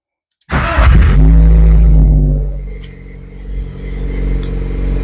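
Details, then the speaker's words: 1.4T-swapped VW Mk1 Rabbit with a Mk4 fuel pump fitted in the Mk1 tank, after fixing a pinched fuel line and pump pulsing. The engine catches at once, revs up strongly, then drops to a smooth, steady idle with no stumble. Normal start and idle. "but there we go it doesn't pulse anymore loads right up with uh with"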